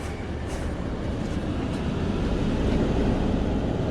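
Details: 2006 Jeep Grand Cherokee, warmed up to temperature, after a thermostat replacement, radiator flush, 50/50 coolant refill and bleeding for overheating and heating issues: steady, even idle rumble with no knocks, misses or squeals; the heater now works at idle.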